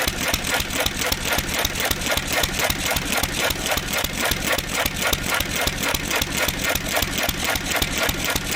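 Crisp, regular chuff-and-click beat near 220 a minute, firing steadily without misses; the old engine is running smoothly on starting fluid.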